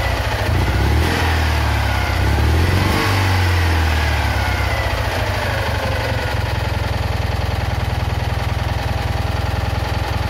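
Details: Citroën Ami 8 small twin revs, then settles to an irregular idle with skipped firing pulses. Points spark heavily, the plug spark is weak, it coughs through the carburettor, and the coil and engine are hot. Owner is certain the faulty ignition condenser is the cause.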